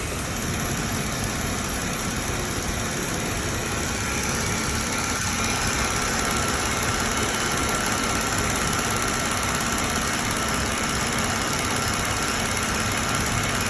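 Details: Mercedes-Benz W211 with a recurring engine misfire that came back 2.5 months after another workshop's repair, which included a new ECU: steady idle with an uneven, slightly lumpy beat under the hum. Engine missing at idle.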